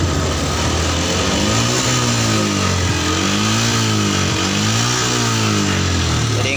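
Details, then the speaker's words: Yamaha Jupiter MX New 135, unserviced for six years, after a carburettor service that cured its stumbling under throttle: smooth, even revs rising and falling with no stumble; road tested to 80 km/h without hesitation, though it smokes blue, possibly needing an engine rebuild. "Ini brabetnya udah hilang, tadi udah dibawa jalan sampai kecepatan 80, nggak ada gejala turun ya."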